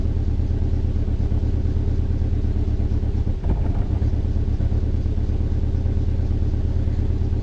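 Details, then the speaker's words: Hyundai started, revved, then put into gear with foot on the brake: an uneven chuffing beat that stumbles and dips under load, a misfire; belt squeal also present. Owner asks for a diagnosis. "But it's got a little bit of a, it's running pretty good now, but I'll hit the gas. You hear that stumble."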